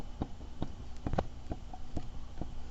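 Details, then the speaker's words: Kymco Super 9 scooter engine during teardown, crankshaft turned by hand: dull clicks about twice a second with rough spots and visible back-and-forth crank play on the bearing. Worn crankshaft main bearing. "you can hear it and if you look real close you can see the crankshaft is moving back and forth on the bearing it it shouldn't move at all and and there's some rough rough spots in there that you can hear so it's pretty pretty well determined that this this bearing is shot inside there"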